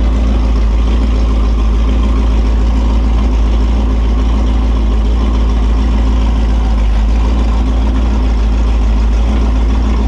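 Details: Holden 355 stroker V8 on a bench test stand, new engine for an HQ Holden (flat-top pistons, Sig Erson TQ30 cam, HEI, Edelbrock carb, Aeroflow single-plane, 9.5:1), bedding in cam and lifters: a loud, even rumble at fast idle with no ticking or knocking. Oil pressure is 30 psi at idle, no leaks; healthy.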